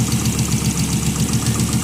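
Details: 1996 Volvo 850 Turbo at about 200,000 miles, fresh oil change and new spark plugs, idling with a fast, light, even tick over the engine hum that appeared after a shutdown and restart; owner suspects lifter tick.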